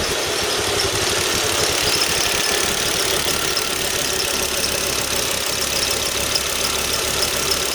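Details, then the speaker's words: Volvo XC90 T5 with intermittent misfire (P0302, P0305) and oil leaks around the throttle body pipe seal: engine running with a thin, faint high squeak over the hiss, apparently from the auxiliary belt, cause unknown; belt squeak. "also i hear a squeaking noise coming from the uh from the auxiliary belt there i don't know what that could be anyway"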